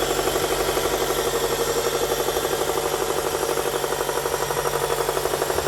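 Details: Toyota 2ZZ-GE engine: steady, even knock about four per second over the idle, sharp and metallic in the mids; owner suspects rod knock, not sure.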